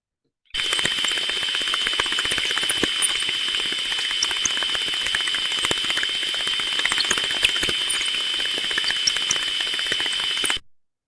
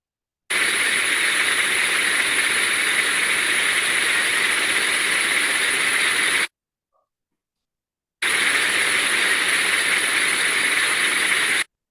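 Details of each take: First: Gearbox heard via ultrasound: under a steady hiss, sharp impacts repeat about four times a second, slightly unevenly, instead of smooth uniform sound; damaged teeth in the gear mesh. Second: Ultrasound reading on a planetary gearbox after replacing incorrect oil type with the correct oil: steady, smooth, uniform hiss with only slight modulation, no rough bursts; gearbox now running smoothly.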